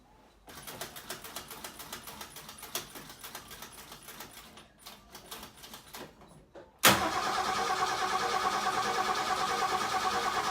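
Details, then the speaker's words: 1960 XK Ford Falcon, first start in about 12 months; fuel was found leaking from the carburetor right after. Quiet cranking, then it catches and settles into an even, steady idle with no knocks or misses. Normal cold start. "there you go folks that's the first start in about 12 months on this 1960 talkin and just listen to that engine"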